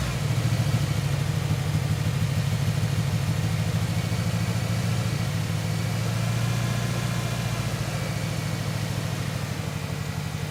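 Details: 1997 Ford Ranger four-cylinder idling rough with an uneven, loping stumble; cylinder 1 dead at 60 psi versus 180 psi on the others, and a gaugeless leak-down test blew air out the crankcase breather, oil cap and dipstick tube, indicating cracked piston rings.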